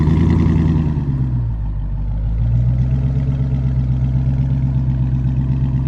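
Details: Flood-damaged auction 2007 Chrysler 300 SRT8 with the 6.1 V8, running after repairs: deep, steady burble with an even firing beat and one brief dip. Normal, smooth idle.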